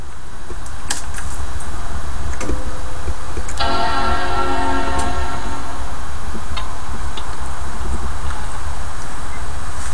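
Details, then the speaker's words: Faulty Mac powered on: the startup chime rings out clean over a steady hum, with hard drive and disc spinning heard, but there is no display and no sign of booting. Cause unknown; the screen also makes arcing noises. "So, this is that Mac. It does come on and play the Mac chime, but get nothing on the screen and no sign of it even booting up."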